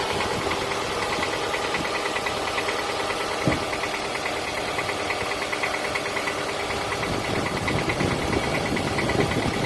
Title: Piston slap noise on Toyota Camry 2007 2.4 engine ACV40